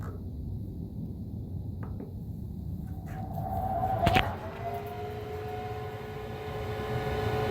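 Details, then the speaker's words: Weber SmokeFire EX6 pellet grill after replacing auger assembly and motor, started and set to 600 degrees: low rumble, then faint steady hum as the fan spins up and holds; fan working normally, glow plug turning red. "all good mr. dink I can hear the fan"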